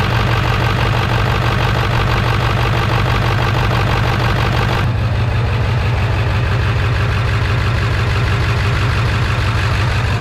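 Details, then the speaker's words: 1999 Ford F-350 7.3 diesel, cold start after replacing fuel bowl drain valve: deep idle with uneven loping beat about three a second; rough idle, owner suspects a dead injector until warm. "so i don't know if you can hear the engine's kind of running rough for whatever reason this thing's down it seems like it's down an injector until it warms up"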